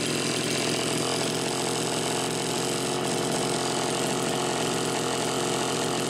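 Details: Homelite Super XL Automatic chainsaw, reported smelling hot, on ethanol-free TruFuel, almost warmed up: steady high-revving two-stroke buzz, no surging, stumbling or throttle lag; healthy running.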